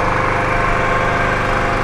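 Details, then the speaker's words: Three-phase induction motor on a manual star-delta starter, running under load: smooth, even hum with steady pitch, no knocks, rubs or surges; normal running. "यहाँ पे देखिए आप motor चल रहा है, आप देख पा रहे होंगे।"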